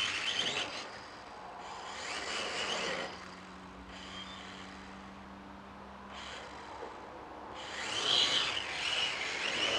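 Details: K70C Sky Warrior quadcopter test flight just after replacing two oiled propellers: high-pitched buzzing swells as it passes close then drifts away, motors even and smooth; flying normally, though owner thinks it may need gyro calibration and later found a bad motor.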